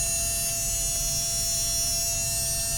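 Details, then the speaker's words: MN99s RC car metal gearbox and geared motor, greased with bearings in place, bench-run: steady high-pitched whine with a constant tone and no grinding or clicking; runs smoothly. "fabulous it's doing good a at 1.3 Vols one volt a half a volt no"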